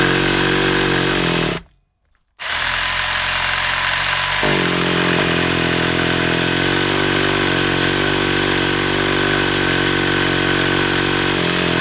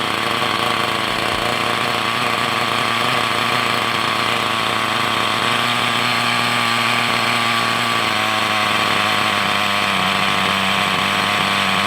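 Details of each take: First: Hobao Hyper 7 nitro RC engine, stored over two years, primed, throttle possibly too far closed: steady starter buzzing, turns over without firing, coughed a couple of times; owner suspects glow starter flat, unconfirmed. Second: Hobao Hyper 7 nitro RC buggy after sitting over two years: small nitro engine buzzes at a high, steady pitch with no misfires or surging, idle slightly high, tick-over screw needs adjusting; normal running.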